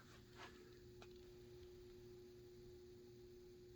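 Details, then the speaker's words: New Harbor Breeze ceiling fan on medium speed. Steady mid-pitched motor hum holds evenly under soft air rush; wind noise settles, but the motor hums noticeably more on medium and low. "This is medium. The wind noise settles down, but it's humming a lot."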